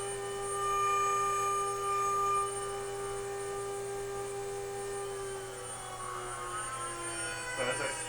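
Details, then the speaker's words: DIY CNC, 120 V VFD three-phase spindle near 24,000, interference radiating from all frame parts: steady high stacked electronic whine sliding down in pitch as spindle slows; EMI induces current in stepper control wires, moving X and Z axes. "i guess the actual speed of the spindle is 24 000 hertz which is probably what that pitch is 24 000 and the great thing is it's all parts of the frame here are producing this interference"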